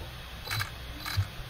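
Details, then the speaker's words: MJX Hypergo 14304 RC car, sensorless brushless motor at minimum throttle, axle marked to check rotation: quiet motor with sharp ticks about every half second, axle only rocking back and forth instead of spinning; severe cogging. "Bisa dipastikan kalau asnya ini benar-benar dia goyang-goyang saja. Yap, koging parah."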